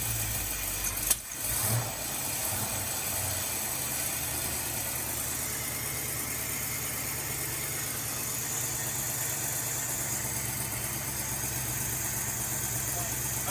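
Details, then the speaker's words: 1984 Fox-body Mustang 5.0 carbureted V8 after new intake and carburetor install: runs smoother but settles into a low, lumpy idle with occasional pops and farting through the exhaust; idle speed suspected too low, needs turning up. "definitely runs way smoother already except for that pop and farting that sounds like we've got to turn up the idol a bit STINKS!"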